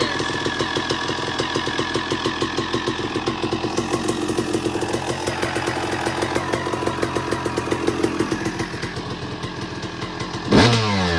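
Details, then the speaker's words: 2002 Suzuki RM250 two-stroke after full motor swap, second heat cycle, idle dialed in: steady even popping idle, then two clean sharp blips up and back; normal idle and revving. "You can hear the idle's much better now. Got it all dialed in."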